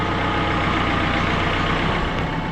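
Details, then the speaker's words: John Deere 110TLB backhoe (4100 hours) after hydraulic oil change: thin continuous high squeak over steady diesel idle; owner suspects one of the hydraulic pumps, not confirmed. "Hear that squeaking though? I think that's one of the pumps."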